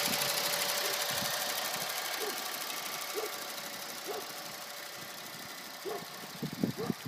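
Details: 2010 Honda Insight, 12K miles, synthetic Mobil 1 0W20 changed every 6 months: faint, somewhat uneven engine clicking about twice a second, only when sitting still at idle, not while driving; owner unsure if a problem.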